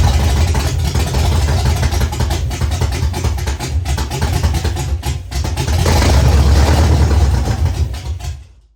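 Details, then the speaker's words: Ford Fox-body Mustang, rebuilt 302 V8 with new cam, second start with a little gas in the bowls. Lumpy, uneven fast idle, loping then dying out: rough running from incorrect ignition timing; adjusting timing helped it idle. "started the timing a little bit, and it definitely helped a lot. So at least I know it will idle."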